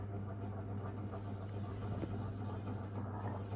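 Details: Antique Indola PVB 90 cm all-metal ceiling fan running fast: steady low motor hum with uneven rubbing, grumbling texture plus vibration; bearings dry and unhappy, not yet oiled.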